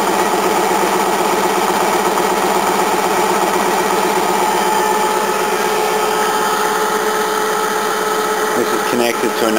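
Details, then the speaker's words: Restored 1950s-era air compressor, rebuilt about 3–4 years ago and heavily used; the camera may exaggerate its sound: steady motor hum with soft regular pumping about two strokes a second, air intake audible; normal running. "camera probably makes it sound like but that's very quiet hear the air going in and it's pretty much about"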